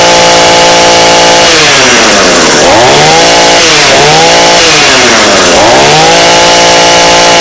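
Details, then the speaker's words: 2-stroke engine with a non-adjustable carb after adjustment: rises to a steady high scream at full throttle with only a slight breakup (four-stroking) between revs; the carb is now set well. "okay so that sounds pretty good I'm not gonna lie"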